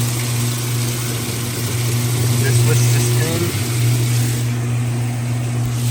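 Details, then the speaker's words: Repaired Roper top-load washer during full-cycle test, draining quickly then spinning: steady low even hum, no knocking, grinding or rattling; everything working flawlessly, normal drain and spin. "everything is working flawlessly right now no issues it it'll clean the heck out of your clothes"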